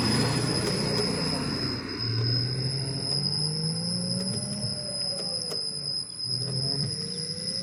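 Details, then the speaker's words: Ola S1X key variant (3 kW) electric scooter hub motor at about 3–6 km/h: low groaning tone rising and falling, likened to an animal in pain, with a faint sliding whine and vibration; intermittent; cause unknown; low-speed groaning. "थोड़ा सा vibration की आवाज थी और vibration बार-बार सुनाया था। जैसे तीन से पांच पे जाती है। जैसे तीन से चार पे पांच पे छह पे जाती है। तब ऐसे बोलती है जैसे कोई जानवर करा रहा हो।"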